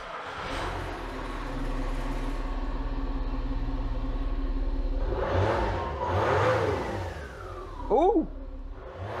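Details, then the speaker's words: Citroën C6 2.7 HDi diesel with squeal, run with auxiliary drive belt removed: idles and revs cleanly with no squeal, so the noise comes from the drive belt system, not the cam belt; tensioner pulley next suspect. "it's gone that's brilliant news the noise is gone so it's something to do with the drive belt not the cam belt"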